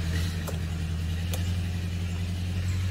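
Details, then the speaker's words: Yamaha Sirius Fi after battery replacement, key on: steady low electric hum for about three seconds, staying even; the fuel pump primes normally and no fault is shown. "cái bơm xăng đó bật này nè một hai ba loại nào đó bơm xăng Nó hoạt động bình thường lại đây Ngã bây không báo lỗi nha"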